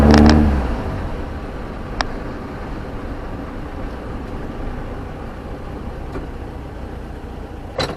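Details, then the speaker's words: VW Beetle with IRS rear suspension after replacing the inner and outer rear wheel bearings, heard while driving: a smooth, even road rumble with no growl, hum or whirr. Normal, quiet wheel bearings, much quieter than before. "and what a difference and it's so quiet I cannot believe I know except for except for that man it's never rolled this quiet before ever"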